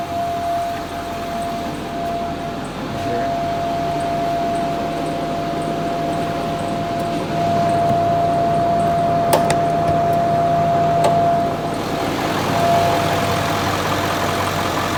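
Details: 2008 Ford 6.4 Powerstroke diesel, DPF and EGR recently deleted, idling after a freeway run with a steady humming that comes and goes over the engine clatter; the mechanic suspects the recently replaced fuel cooler.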